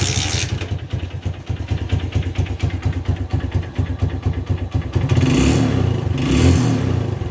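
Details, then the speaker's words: TVS Star City 110 motorcycle after fixing a spark plug current leak that caused starting trouble in rainy weather: starts in one kick, settles into an even single-cylinder thump and revs up and back cleanly without stumbling. "இப்ப பாத்தீங்கன்னா எந்த பிரச்சனையுமே இல்லை ஒரே அடியில அடிக்கு."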